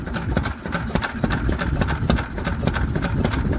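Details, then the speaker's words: Lister single-cylinder engine after magneto chain tightening, with exposed valves and fuel pump: slow, steady beat with light valve chatter and no missed firings; running sweetly. "don't see sunday yep that sound an absolute treat and i love it all little exposed valves exposed fuel pump it's all good stuff"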